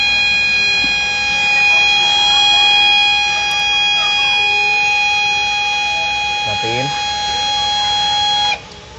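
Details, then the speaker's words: HP LaserJet 1010 printer at power-on: loud high-pitched whirring with rough grinding like a mill, then cut off; owner suspects a faulty scanner unit and plans to replace it. "Oke, jadi sudah jelas ada bunyi berisik. Udah, matiin. Biasanya kalau bunyi seperti ini ada keluhan atau kerusakan di bagian scanner."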